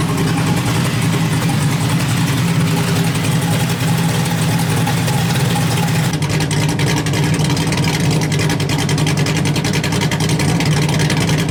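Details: LS1-swapped Hyundai Genesis Coupe, HCI-cammed engine freshly refreshed, first start on a base tune: deep, loud V8 idle with steady lope and strong exhaust rumble, running on all cylinders; normal idle, though a temperature issue noted.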